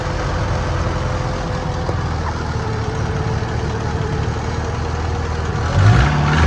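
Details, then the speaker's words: 1993 Mustang 2.3 four-cylinder, starting after a head gasket job and timing issues. An uneven, stumbling low rumble with no steady beat, barely running. Rough running because the firing order was wrong; the number four spark plug wire is also broken. "I had the firing order wrong. I also broke number four spark plug wire back here."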